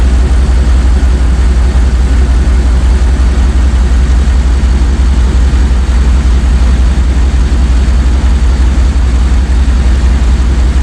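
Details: Jeep ZJ Grand Cherokee 5.2 V8 after water pump replacement, warm with the thermostat open and the cooling system bled: deep, steady, even idle, smooth low rumble, no knocks, ticks or whine; healthy.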